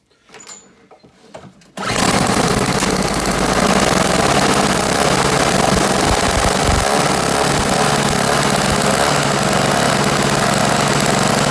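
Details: Toro CCR1000 3 hp single-stage snow blower, a no-start with a gummed-up carburetor jet, after checking spark and fuel: after a quiet start the engine catches and settles into a steady, even run with no misses or surging; normal running.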